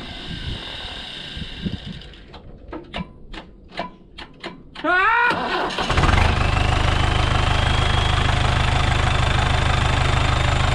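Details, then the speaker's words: Heavy equipment restarted after a starter replacement, following an arc and a puff of smoke from wiring to the alternator (wire had melted on exhaust, suspected bad connection): a few clicks, short crank, then catches and idles steadily and evenly; starts and runs normally. "i'll fire it up right now to see if it fires up but i don't know what what caused those what caused that puff of smoke in the wires"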